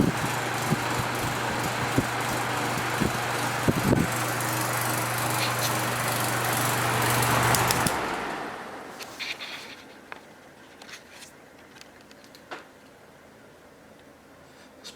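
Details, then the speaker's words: 1970s Patton U2-1272 fan with a new Fasco motor: a steady hum and air rush, then a smooth, even coast-down to quiet. Spin-down time is good, though the motor will get more oil later; any noise at speed is blamed on loose motor nuts. "down time is pretty good but i am going to put some more oil in this motor at some point"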